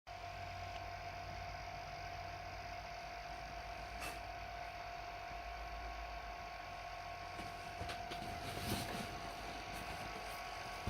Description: Ps4 is making weird sounds. Its been making the sound at the end since they released, but the sound at the beginning is brand spankin new.